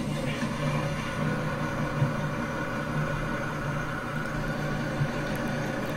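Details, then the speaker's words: 1994 Monaco Executive 38 ft diesel pusher motorhome, started after sitting a couple of days: deep, even diesel idle with a smooth low rumble, no knocks or misses; healthy engine. "I'm going to stop talking let you listen to the motor startup after a couple of days and you'll get to see what it sounds like"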